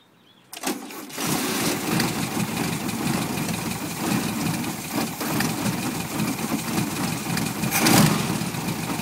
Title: 1973 VW Beetle rough idle